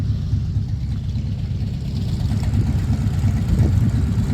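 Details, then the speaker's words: 1940 Ford Tudor idling after new tailpipes from an eBay kit were fitted: low, steady burble with even pulses, no ticking or knocking; quieter than before, exhaust fumes no longer coming inside. Normal idle. "this is quieter I can tell hey man I think that's a win"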